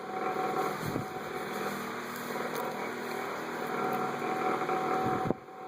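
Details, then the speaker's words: Vintage 1987 Galaxy 2154 9-inch push-button fan on high, oiled: loud uneven rattle over the blade whir only while oscillating, from the oscillator mechanism; quiet when not oscillating. "Turn the oscillator on. Rattles a little bit when it oscillates. Back to high. Listen to that thing rattle."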